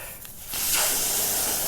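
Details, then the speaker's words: 2020 Harley Road Glide Special rear tire just after pulling out a hex-head screw: sudden steady, sharp hiss holds without fading as air escapes the puncture, before reaming and plugging. "All right, there we go. Now we can hear it. There it is, right there."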